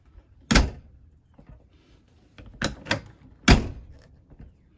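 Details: Travel trailer entry door after installing an RVLock keyless handle and moving the strike plate back about an eighth of an inch: one solid thunk as the door swings shut, then lighter latch clicks. Door closing and latching normally.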